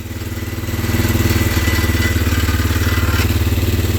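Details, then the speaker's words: 2004 Polaris Sportsman 400 after sitting, runs rough and wants to die with more throttle; loud mechanical rattle over a steady, slightly lumpy idle that stays constant as the engine settles, source unknown. "do you hear it hey that God awful rattling"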